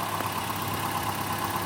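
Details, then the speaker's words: 1987 Toyota Camry LE wagon with the 2.0 L 16-valve 3S-FE engine at idle. Smooth, even idle with no knocks, ticks, rattles or weird noises; runs healthy. "Toyota 2 L 16 valve 3SFE engine. That sounds great, runs great, no weird noises."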